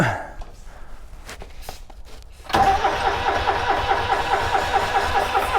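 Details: Subaru Sambar kei van engine, sat 25+ years, brake clean sprayed down the hole: starter cranks in an even, steady rhythm with no sign of firing. Cranks but no start.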